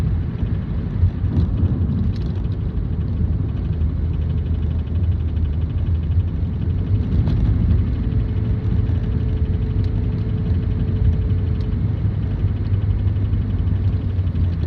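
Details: 2007 Toyota Prius: a steady low droning rumble throughout, with a faint tone near 400 Hz midway. Abnormal drone noise, source unknown.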